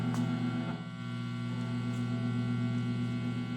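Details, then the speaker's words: Wampler Pinnacle overdrive with single-coil guitar, volume wide open, strings silent: steady 60-cycle mains hum added by the pedal, suspected poor ground between cable barrel and chassis, unconfirmed. "back to the plumo Pinnacle and you'll hear an additional which I think is 60 Cycle coming from the Pinnacle and what that is is there's a ground somewhere which I think is probably the the cable Barrel to the chassis um I think is poorly grounded notice it goes away"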